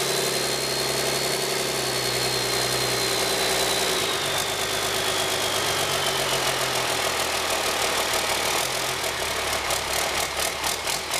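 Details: 1997 Cummins 5.9 12-valve P-pump, about 960,000 km, just after a cold start: loud clattery idle with a steady fast knock and a loose uneven beat; rough, worn high-mileage diesel idle.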